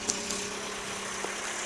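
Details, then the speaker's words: 1976 Toyota Corolla TE31, old carbureted engine, at a steady, even idle with a light mechanical hum and a couple of faint ticks, no stumble or miss. Normal idle; it runs very smoothly and a wrench can sit on the motor. "uh you could tell it runs really smooth i mean the guys at the smog shop and everywhere i go that see my car they're always amazed"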